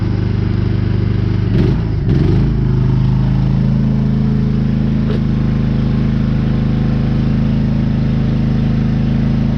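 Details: Generator started on choke with old petrol after sitting unused: brief cranking clatter, then it catches and settles into a steady, even hum with no misses or hunting; running normally.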